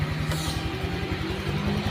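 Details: 2016 Honda Vario fuel-injected scooter idles evenly and steadily with no knocks during a 10-minute warm-up test after water-pump repair. Original complaint was radiator coolant loss and a constantly lit temperature light. Cause was the water pump not running.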